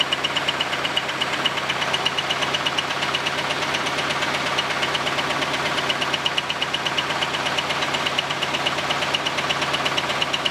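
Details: Camaro's first start after a temporary exhaust weld repair, with debris and a dead animal blown out of the exhaust: loud, regular, sharp knock near three per second over the idle, never letting up. A bad internal engine knock, cause unknown; the owner expects to pull the engine.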